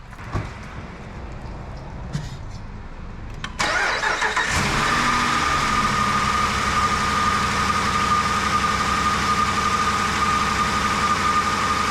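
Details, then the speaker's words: 2020 Dodge Durango R/T 5.7 L Hemi after water pump replacement, first start while refilling coolant: starter whirr, quick catch, then steady smooth idle with even hum, no misses or knocks; normal start and idle. "So good so far. Just gonna let it run for a second."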